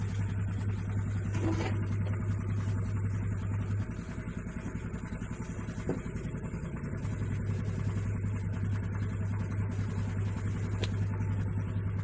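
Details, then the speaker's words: Honda Vario CBS scooter after CVT repair (clutch lining bearing and roller housing/slider serviced) for noise when throttled: engine runs steady and even, about 3.5 beats a second, no knocking or grinding from belt drive, smoother with more power. "gas sudah halus ya. Tenaganya juga lumayan ya, lumayan nambah, cakep lah udah."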